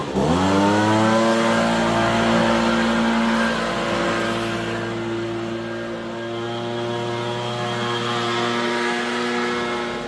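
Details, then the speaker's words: Echo PB-250 two-stroke blower on a fresh replacement carburetor, fully warmed up on good premix: quick pickup and a steady, even high-pitched scream at full throttle with no bog or surge; clean running. "It should rev up nice and clean like that. You know, it shouldn't be boggy at the top. It should be really clean and even when it's fully warmed up."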